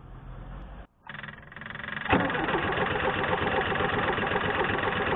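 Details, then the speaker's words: Air-cooled VW T25 twin-carb engine, fuel drained, relative compression test cranking on starter with scope and amp clamp: steady starter whir with slightly uneven beat; cylinders 1 and 4 slightly higher compression than cylinder 3; uneven compression. "so senator 1 and 4 of slightly higher compressions and cylinder 3"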